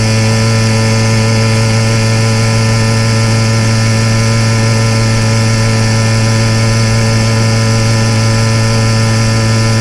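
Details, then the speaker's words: YD100 two-stroke motorized trail bike on a rail trail at about three-quarter throttle: steady, even high-rev buzz with no stumble or four-stroking, motor lined out well, unlike gurgling misses at half throttle. "And in this clip at about 3/4 throttle you can hear where the motor is lined out real nice, but it's unfortunately just a little bit beyond my comfort zone."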